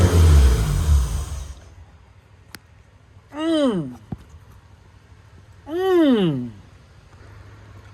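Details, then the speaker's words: Project build car, first start on a standalone EMS: a rough start settles, then two clean throttle blips rise and fall smoothly. The engine fires and revs freely with no misfire. "right fellas lots of problems but we got it to go fired up on stand alone"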